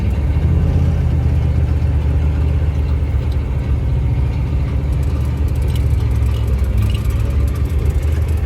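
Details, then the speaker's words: 1971 Highboy after carburetor rebuild, driven at night in reverse, second and third gear: deep, even pull with no stumble or stutter off throttle, cold-start problem gone, throttle response better; normal running under load. "Well, I'll be damned. This thing runs like a champion now. The throttle response is already better."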